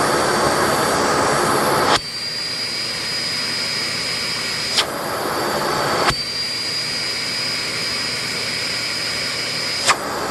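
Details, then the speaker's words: 2006 SEBO Airbelt K2 straight-suction vacuum at full power, about 64 inches of lift through the hose; steady high-pitched suction roar with no relief-valve pop, meaning air leaks at the hose or its canister connection. "But I did not hear the suction relief valve blow. So, what that means is this hose leaks like crazy."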